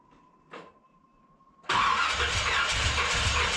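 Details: 1981 Corvette engine freshly reinstalled, timing checked correct, valves open and close (owner assumes none bent): catches loud and ragged with uneven popping bursts, backfiring out the carburetor secondaries; carb soaking wet, owner suspects too much fuel despite adjusted floats.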